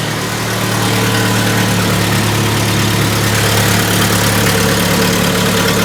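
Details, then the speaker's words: 1997 Jeep Wrangler 2.5L idling in the vehicle before cat-back exhaust install: loud uneven idle with puffing tick on the exhaust beat, leak heard from the exhaust donut gasket. "okay got a pretty good exhaust leak coming from coming from the doughnut down there"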